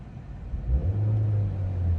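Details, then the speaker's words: Vauxhall Astra GTC with prior misfire, after spark plugs and coil pack removed and refitted, at operating temperature after 20 minutes: short blip then steady, even low hum with no stumble or shaking; smooth warm idle, misfire seemingly gone. "Honestly, it's smooth as anything."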